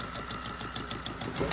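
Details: Repaired Volvo Penta 2002 fresh-water-cooled diesel from a 1987 Liberty Yachts Pied Piper 28 sailboat at about 150 degrees, run at varied rpm: even clatter with light regular tick about six a second at moderate speed, no miss or knock; normal running.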